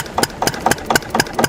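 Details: Antique diesel with roughly 400 lb flywheels, just started after a cold start and warm-up: slow, evenly spaced thumps about four a second with sharp clatter on each stroke, steady. Healthy idle.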